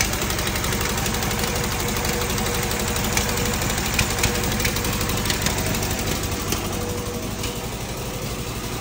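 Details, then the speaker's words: Fiat 126p two-cylinder engine with milky oil; lumpy running with irregular coughs and knocks, chokes and nearly stalls on throttle, exhaust smoking; owner suspects blown head gasket, loose exhaust or ignition; rough running with coughing. "gazu dodam jak gazu dodaje to chc Gasnąć tu się od wydechu dymi"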